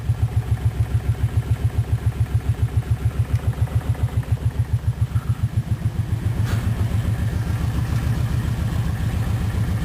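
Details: 2007 Kawasaki Brute Force 750 V-twin ATV idling with a steady, even clicking riding on its low, lumpy beat; cause of the idle clicking still unknown.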